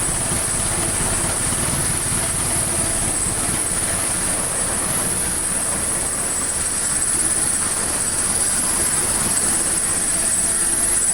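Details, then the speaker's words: 1979 Triumph Spitfire, fuel system hooked up, coolant low: steady, even idle with soft exhaust rumble, no misses or knocks, not smoking; running well. "so though we'll just let it idle for a minute that's quiet though not smoking or anything"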